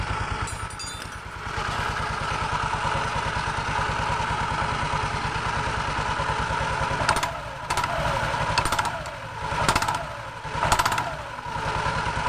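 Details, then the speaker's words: Automatic scooter CVT with cover open: loose metallic clattering bursts on gentle initial throttle at the rear pulley/clutch lining area; the CVT belt was later found slightly cracked. "nah disaat tarik gas awal bunyinya persis suaranya di sekitar sini ya teman-teman Ya di bagian puli belakang persis di area kampas gandanya ya"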